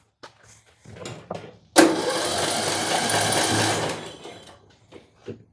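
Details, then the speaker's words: Bolens M762F lawn tractor engine cranked for a compression test with the spark confirmed good: the starter spins fast and evenly with no compression pulses or labouring. The gauge shows zero compression, traced to a dislodged exhaust valve seat. "Why are you showing nothing? Ooh. Well, that's not a good sign. We're showing absolutely nothing as far as compression goes. Probably have a look inside the valves, see if the one of the valves is stuck or dropped."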